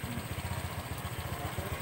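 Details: Honda Vario CVT after repair: even, steady putter at low revs with no crunching or grinding from the drive side. Earlier it crunched when the wheel was held still; the crunching noise is now gone, belt drive smooth and healthy.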